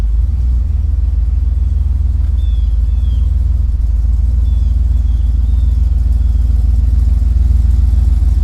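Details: Ford Ranger rock crawler "The Mutt" first start after build, new Magnaflow exhaust with dump: deep, steady exhaust rumble, even beat about three per second, no knocks or misfires; fires right up, runs and sounds good.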